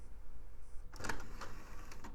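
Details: iMac G4 optical drive trying to read a double-layer DVD-R: a few soft clicks and whirs over about a second, then silence. The drive fails to read the disc and gives up.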